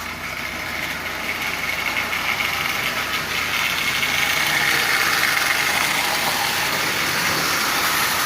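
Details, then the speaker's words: Marx 898 toy train locomotive, old and long stored, cleaned, lubed and tuned, pulling 23 tin litho cars; a steady high-pitched buzzing whir with definite gear noise, as the intermediate gear will eventually need replacing. "y it's still running fine it's just noisy and I've lubed it and as it runs it will very likely become less noisy but it's definitely gear noise"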